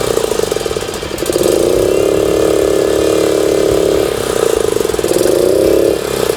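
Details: Suzuki Choinori 50cc two-stroke scooter, the day after carburetor float valve repair, NGK plug swap, power filter, regulator and tire fixes, starts instantly; small buzz rises cleanly twice with throttle and settles smoothly, no misses: normal idle and revving.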